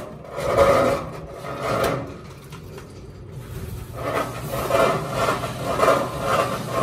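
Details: GE washer filled with water, washing: rough rasping scrape from underneath that swells and fades about once a second; not the transmission, the pulley is rubbing the bottom plate.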